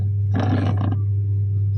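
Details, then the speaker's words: Twin-tub washing machine wash tub very noisy: turning the wash shaft by hand gives a rough grating rattle; worn wash shaft assembly, fixed by unbolting and replacing it. "สาเหตุก็คือตัวนี้นะครับนี่นี่นะครับแค่เอามือหมุนนี่ก็เสียงดังมากนะครับ"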